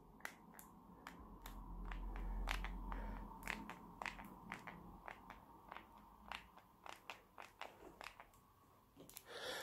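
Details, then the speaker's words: LG B8 OLED TV remote: irregular sharp plastic crackles and creaks, roughly two a second, each time the back is gripped while pressing buttons. The casing flexes and creaks, a minor build-quality flaw. "you make you grip at the back and you get this Creek in you river which isn't the best when you're trying to press buttons that would say not a massive deal but you know it just makes it feel a bit even cheaper than what it actually is"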